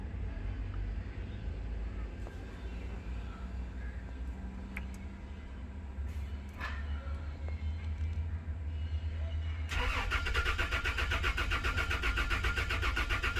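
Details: Toyota Land Cruiser: a low rumble, then steady cranking at about four beats a second that never catches. It cranks but won't start; cause suspected, not confirmed.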